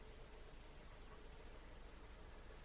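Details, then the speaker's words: Geloso 255S Italian valve tape recorder under repair, hiss heard from the speaker; faint, even hiss with no ringing, howl or crackle; valves not microphonic; normal amplifier hiss. "there we are this hissing the speaker that tells me that that is okay not microphonic"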